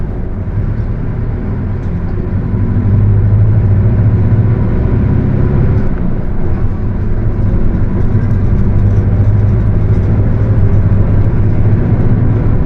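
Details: Mercedes-Benz OF 1721 bus, Torino S body (Viação Estrela 100.141), while driving: a steady low drone under the engine note that swells and holds with road speed; the rear differential is roaring.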